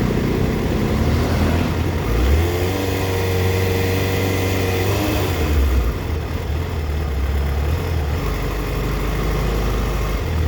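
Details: 2004 Yamaha FZ6 coming off a blip stumbles into an uneven idle, dipping to 970 rpm against a warm spec of 1260–1320. Owner suspects a bad ignition coil, unconfirmed. Misfire at idle.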